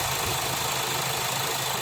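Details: Kia Sportage/Hyundai Tucson after fixing a loose camshaft sensor connector that caused crank-no-start: short stretch of steady idle with an even, unbroken beat and no misses; running normally.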